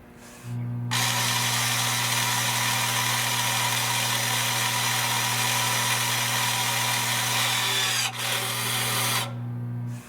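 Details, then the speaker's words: Toyota/Lexus electric parking brake, deactivating rear brake service mode by pulling and holding the button: a smooth, even electric motor whir for about eight seconds, stopping cleanly as the motor returns to its proper position, normal retraction. "And now you'll hear the noise again. The motor will go into its proper position."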